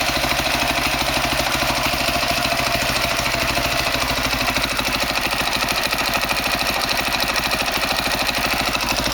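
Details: 2003 Honda CRF450 four-stroke, first start after engine rebuild for seized connecting rod and blown rod bearing, started without choke: fast, even thumping holds steady, no misses, ticking or rattling; normal idle.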